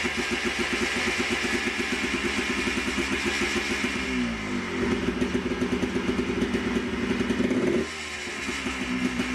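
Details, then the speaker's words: Yamaha Blaster two-stroke, re-jetted (280 main jet), recorded for the before/after comparison with the FMF Fatty pipe and Powercore 2 silencer. An even two-stroke crackle rises and settles with the throttle. Firing stays regular with no misses or knocks. "of course we got to do a before and after sound clip of what the blast from the past sounds like with the new uh FMF exhaust so let me start it one last time so you can hear"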